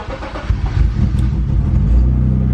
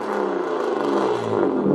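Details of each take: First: BMW E36 325i, 25 years old, sat abandoned in a hedge for 10 years, revived after its noise was sorted: engine cranks, catches quickly, settles into steady deep even idle with no rasp or blow; healthy start. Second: BMW E36 325i six-cylinder, 25-year-old barn find that sat 10 years in a hedge, before exhaust fix: loud, deep, raspy steady exhaust drone while running; exhaust far too loud, owner pulled over twice for it, needs sorting.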